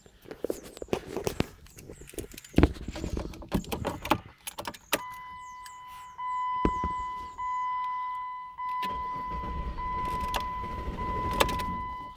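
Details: 2008 Jeep Commander, hot restart soon after a long drive, fails to start until 10–20 minutes later; a steady electrical tone among clicks continues with the hand off the key until it is removed. Starter and ignition switch already replaced; cause unknown.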